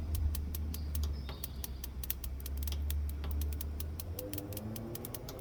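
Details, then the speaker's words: Nexgrill 5-burner propane grill after replacing the sparker igniter and battery: crisp snapping clicks three or four a second over low burner hiss until the burner lights; igniter clicking normally. "We're going to do this burner first. You can hear it clicking. And there it is lit."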